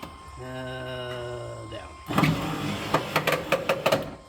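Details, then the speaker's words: C3 Corvette driver's power window: a brief, steady, smooth electric whir from the window motor, which is confirmed good. The wiring is fine too; the fault is the switch, and the dry, rusty regulator is to be lubricated with WD-40. "it there is nothing wrong with that motor we know that motor is good so motor's not the problem wires are not the problem it is the switch"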